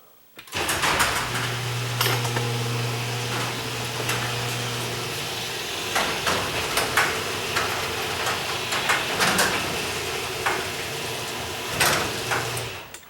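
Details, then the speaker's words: Garage door opener that had been squeaking, after its rail was lubricated, heard with the door going up: steady low motor hum with light clatter for about twelve seconds and no squeal. It sounds healthy, though the squeak may return going down. "Now that didn't actually sound too bad."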